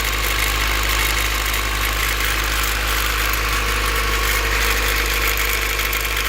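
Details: Cold-start idle rattle, a loose uneven rattle about three per second over a steady low hum, source still unknown. It seemed to come from the distributor, but replacing the distributor, checking the LMAs and adjusting valve lash all left the noise unchanged.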